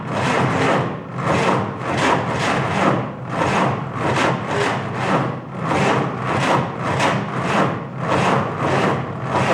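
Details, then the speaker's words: 1949 Willys F134 engine, good battery, carb leaking fuel: slow rhythmic starter churning about one and a half strokes a second, never fires; cranks but won't start. Owner suspects slow cranking speed or the carb, which needs rebuilding. "Wants to start. One of two things. Maybe it's just not turning over fast enough."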